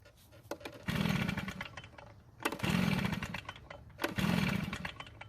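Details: Stihl backpack blower with no primer bulb, choked, old fuel still in: three rope pulls about every second and a half, each a brief whirring crank that never catches; no start, later traced to stale fuel.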